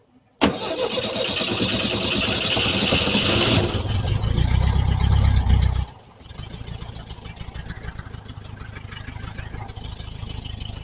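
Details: 1968 VW Type 3 Squareback with original Bosch fuel injection, vacuum leaks now fixed: engine catches loud, then drops to a lumpy, unsettled idle and won't fuel properly; rough idle.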